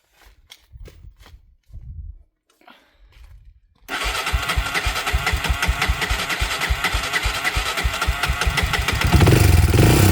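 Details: Honda TRX 300EX single-cylinder engine started on choke after an oil change: a few clicks, then it catches and settles into a steady, even thump with no knocks or rattles; normal healthy idle.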